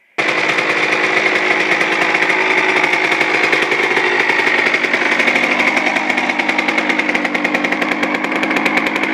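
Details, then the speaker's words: Suzuki RM 125 two-stroke after a complete engine rebuild including crank seals: crisp, fast, ringing crackle that picks up cleanly and holds steady with no misses or rattles; running well. "i'm pretty stoked i mean this i haven't got this thing running good in a really long time"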